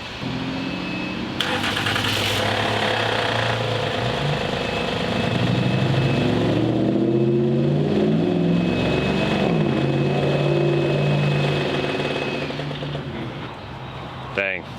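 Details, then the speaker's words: Flood-damaged Honda Accord at idle: metallic rattle over the run at every speed that persists with the drive belt removed; source inside the engine unclear. "i don't know what it is it don't sound good get that belt off and see what happens"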